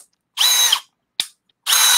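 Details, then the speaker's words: New Milwaukee M12 FUEL Gen 3 1/2" brushless drill/driver: two high-pitched bursts of motor whine with a harsh grinding edge under heavy load. Gearbox grinding, seemingly caught between speed gears; cause unclear. "oh my God oh we fixed it caught between gears I have no idea but uh it was super angry for a second oh it's still kind of doing it I can hear it"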